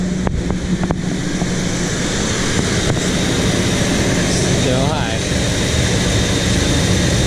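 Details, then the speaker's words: 1975 Chevy C10, factory Quadrajet carb after cleaning and new gaskets, warm idle about 1600 rpm, PCV hose plugged both sides: fast steady idle with no dip or hunt; secondary throttle blades likely not closing fully, letting extra air in. "so idling pretty high so now to rule out it's a giant PCB Lake uh I just got plugged the PCV hose both sides so let's give a go"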